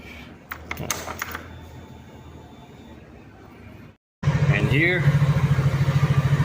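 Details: Easyride 150Fi scooter after fix: visor-area vibration addressed at its bracket; with fairings and windshield refitted, it starts after some clicks and revs with a steady even beat, no buzzing rattle, vibration gone.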